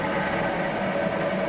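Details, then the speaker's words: Milling machine spindle dialed to higher speed: steady even hum, quieter than at low speed, no knocks or grinding; normal spindle running at high speed. "There is a red zone up here. It's about 3,000 RPM. That's when you kind of get into the limits of the range, like maximum speed."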